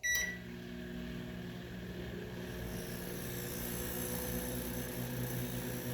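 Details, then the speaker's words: Midea microwave whose owner said it was not heating: the magnetron gives a loud, constant low hum with a buzzing edge that does not stop as it should. The magnetron is judged faulty and not worth keeping. "Não, pessoal, eu não deixaria esse magnetron no micro-ondas, não. Eu não deixaria. Aliás, eu não deixo."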